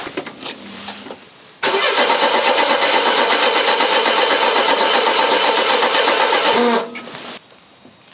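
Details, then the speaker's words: Car, just given a gallon of petrol (gauge near a quarter tank) and tried in park after failing in neutral. It cranks briskly, about four beats a second, for five seconds without firing. No fuel pump priming is heard; cause unconfirmed. "can't hear the fuel pump that's interesting can a relay click I cannot hear the fuel pump priming"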